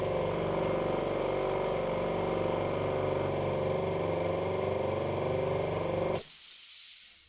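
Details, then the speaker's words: Cleaned 50 L twin air compressor, pressure switch restarting it after pressure drops and shutting it off at set pressure: steady, even piston chug likened to a helicopter, cuts off cleanly, normal running. "And it'll shut off once the pressure's back up to where I want it. Wait for that to turn off. Sounds like a helicopter, don't you think? Yeah. It does. Sounds like a Chinook."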